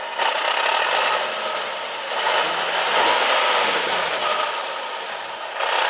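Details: Nissan 370Z at idle after first drive with newly installed JWT flywheel and clutch kit: loud dry gravelly gearbox rattle, massively increased; suspected light flywheel, not confirmed.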